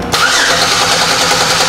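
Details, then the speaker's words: 2005 Chevy Equinox 3.4L with a crank-no-start after a new fuel pump, cranking during a fuel pressure test showing 55 psi: brisk, even cranking that never catches; the injectors have no power because of a damaged wire to the main relay. "okay good all right so we have 55 pounds of fuel pressure"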